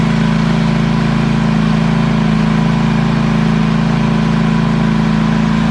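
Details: ZT200 mower with newly installed replacement engine (same hp and rpm, shaft adapted with a sleeve) gives a steady, even drone at constant speed with a low, regular pulse and no misses or knocks; normal healthy running.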